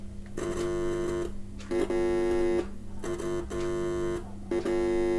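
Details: Second cheap multimeter in the same square-wave signal-injector mode, into an amplifier via aux cable: repeating buzzy tone bursts near 350 Hz, about a second each, different frequency from the first meter; normal output.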